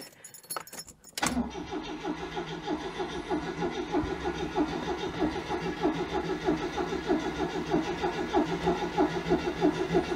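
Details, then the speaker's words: 1992 Oltcit petrol car cranking on a recharged battery with choke set: the starter churns at a steady, even beat of roughly ninety-odd turns a minute but never catches; fuel is not reaching the carb yet, and the owner doubts the battery will last. "i'm not sure about she's gonna last long enough to get this fuel through hmm that sounds little"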